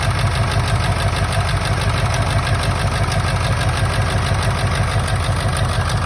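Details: 1999 Ford F-350 7.3 Powerstroke diesel at idle, still running rough: lumpy uneven beat about twice a second, one cylinder misfiring; injectors unplugged and oil outlets checked, one showing no oil; owner suspects an injector, harness to be ohmed.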